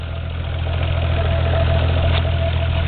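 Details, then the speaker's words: Toyota Supra 7M six-cylinder, modified, idling smooth and quiet just after startup with no knocking, compared against another 7M with rod knock; normal idle. "can all hear mean it's curring nice idle was off real smooth real smooth too"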